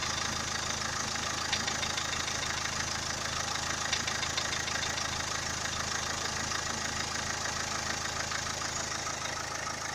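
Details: Renault K9K diesel engine knock at idle, from about 30 seconds in: regular sharp tapping, roughly three knocks a second, riding over the diesel clatter; origin unknown.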